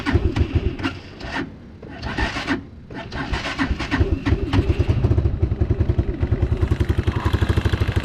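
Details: Unidentified, probably Chinese four-wheeler, cold day, on choke after new fuse fixed wiring: a few cranking bursts, then catches into steady even putter while warming up for oil change; normal cold start.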